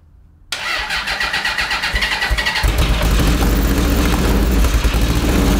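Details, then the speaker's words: 1982 Honda CB750 DOHC engine in a cross kart: cranks, catches, runs ragged; two inner cylinders not firing, outer 1 and 4 working; owner leans toward ignition over fuel, not confirmed. "well i figured out that the two cylinder cylinders are not functioning on this engine so is it fuel or is it spark"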